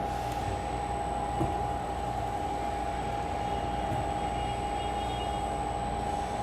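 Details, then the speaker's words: Bosch Rexroth CKK linear module with a servo-driven ball screw, after servo auto-tuning: even, steady running hum with no squeal or oscillating noise; normal smooth motion. "Smooth as silk, no sounds, no squealing, nothing that shouldn't be there."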